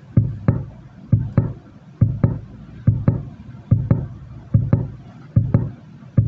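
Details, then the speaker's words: NIKO active speaker that keeps switching on and off. Heavy thumps repeat about 73 times a minute, each dying away, as the amplifier tries to start but lacks the strength. "Jadi, ini intinya kayak mau nyala tapi enggak kuat gitu ya ibaratnya ya."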